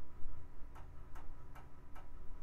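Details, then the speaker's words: Hard drive in a 2000s Micron ClientPro PC after RAM fix, booting to a blank screen: sharp, evenly spaced clicks about two and a half per second over a faint hum; failing drive, no good, replaced. "yeah all I get are failey noises from that drive so I guess it's no good"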